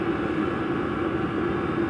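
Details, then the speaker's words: VEVOR 5 kW diesel heater exhaust heard outdoors: steady rushing hum with faint low tone, no popping or surging; normal, about twice as loud as a natural-gas furnace PVC outlet. "the noise level out here I would say is a little bit louder. Maybe one and a half times to twice as loud as your typical, you know, PVC pipe outlet um on a natural gas forced air furnace that you would hear on a typical house."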